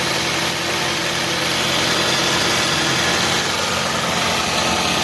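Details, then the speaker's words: Toyota Camry 2.4 Hybrid automatic, 2011, about 250,000 km, engine running: steady even hum with no misses or stumbles across five seconds; smooth, settled four-cylinder idle, no warning lights. "รถสตาร์ทเครื่องอยู่นะครับเครื่องเดินนิ่งเดินเรียบไม่มีสะดุดนะครับ"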